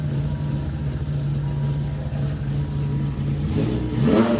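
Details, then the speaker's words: Dodge Viper after oil cooler modification, warming up, burning off oil, good oil pressure, water temp rising: steady deep even burble with smooth low drone, then a quick rev rise near the end; healthy. "Burn off some of that oil. Oh, it does bark."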